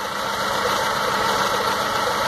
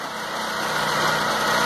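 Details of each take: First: 2006 Stratus 2.0 with misfire and power loss, new plugs and lab-cleaned injectors, pulling plug leads one at a time: rough, uneven idle that doesn't change when the third cylinder's lead is pulled despite spark, so cylinder three is dead. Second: 2006 Stratus 2.0 that had a misfire, after a cheap temporary trick with the ignition wires firmly seated: idle now even and steady with a smooth airy exhaust rush, no stumble or skips, unlike before.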